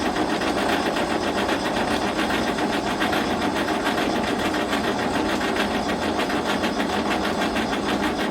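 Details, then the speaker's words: Galion T500 motor grader diesel, sat since 2007, first start after hydraulic line and radiator hose repairs: even, rapid starter churn with no firing; fuel had been left shut off after pump removal. "Alright, so I just remembered I had shut the fuel off yesterday when we were taking the pump off, so I didn't have the fuel on right there, but it really sounded like it was going to fire off there, so I got the fuel turned on now and I'm going to crank on it some more."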